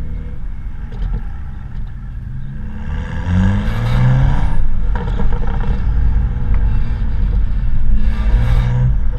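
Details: BMW M235i with HJS High Flow Sports Cat on standard exhaust with BMS tips: two quick revs bring a tinny, buzzing rattle over the exhaust note; the inner clamps/clips in one BMS tip section had disintegrated and were rattling around.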